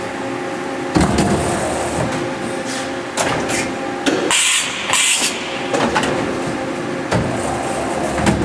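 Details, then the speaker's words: CNC machining centre running an M06 automatic tool change: the spindle orients and the tool moves from a waiting pocket. Crisp mechanical clunks and a short whir as the carousel indexes and the tool swaps, smooth and regular; normal tool change. "now we can actually go here and do a tool change which is um actually m06 m06 and I block and let's start it orientates"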